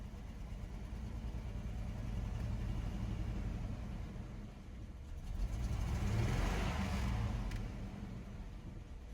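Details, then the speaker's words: Chevrolet S10 pickup unrun since 2019, after fuel tank swap, mouse-nest cleanup and Seafoam for a suspected plugged injector: low, unsteady idle pulsing about four times a second with surging level; idling but shaking. "all right it's idling it's shaking but idling"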